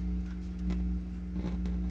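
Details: Philips HiFi Automatic 406 turntable, tonearm leads exposed: steady low mains hum with faint crackles that shift as the arm leads are touched; suspected grounding fault or crossed audio lines.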